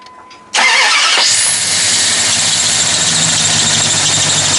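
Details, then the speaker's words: Rebuilt Mopar 360 small block in a 1997–98 Dodge Ram 2500, first start after correcting the firing order and fixing leaking vacuum lines: cranks, catches quickly and runs steady, with a faint squeaky belt chirp and a little smoke. Normal running. "up you run pretty good oh yeah little squeaky belt no big deal other than that that face runs pretty [Music] good"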